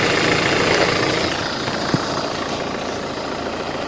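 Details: 2005 Mercedes-Benz Vito at idle: loud steady idle with faint tapping about four per second; knock; oil pan opened, crankshaft and bearings like new, owner suspects injector or hydraulic lifter.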